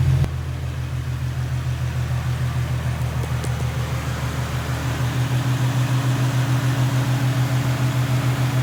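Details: Infiniti/Nissan VQ37 (Q50/G37/370Z) after a serpentine belt replacement with a Gates K070795 belt: the engine catches at once and settles into a smooth, even idle with a steady low hum and no squeal or chirp; normal idle.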